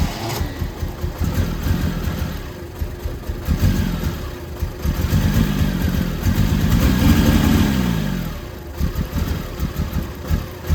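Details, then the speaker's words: 1972 Triumph TR6 non-start, fed by electric fuel pump directly to the carbs: starter cranks steadily for several seconds with no catch; owner suspects a carb float needle stuck, starving fuel. Finding: cranking, no start. "have the feeling that one of the carbs the needle is stuck on the float and it's just starving"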